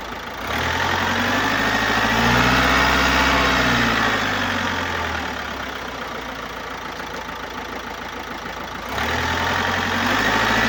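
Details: 2018 Opel Astra K, 1.6 B16DTH diesel (81kW/110PS), 128,814 km, at idle. Rising and falling hiss over an uneven rumble of about four pulses a second, caused by an intake system leak and defective swirl flaps.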